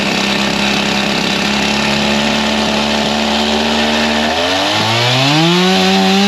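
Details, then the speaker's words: G366 chainsaw ("Old Blue"), still warm, on dyno after big carb swap, tuned to about 13,132 rpm: high buzzy two-stroke scream sags and stumbles when it reaches low speed, falling flat with no power despite spinning rpm; bogging, cause unconfirmed (major part missed). "as soon as it got to the low speed it was not liking anything you could hear it fall on his face made no power even though it was spinning RPM"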